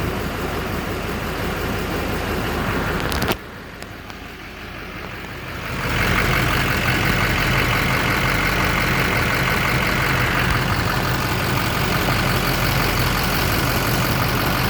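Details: 2007 Chevy Silverado LBZ Duramax diesel started on a hot evening to check for leaks after heater hose replacement: brief quiet, then catches and settles into a steady, even idle clatter, nothing abnormal.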